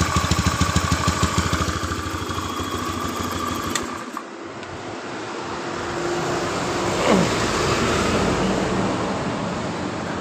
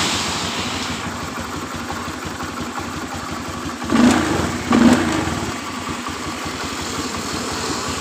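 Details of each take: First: 2013 Honda Beat FI scooter with high fuel consumption, fuel pressure only 20 PSI: lumpy, pulsing idle that dips, nearly stalls and recovers, sounding flooded as if choked. It is running rich from a leaking pressure regulator; another shop blamed the injector. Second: 2013 Honda Beat FI scooter with a kick-start spring/dynastarter, restarted after a fix for high fuel consumption: steady, even idle with two short clean blips around the four-second mark that settle straight back. It idles normally.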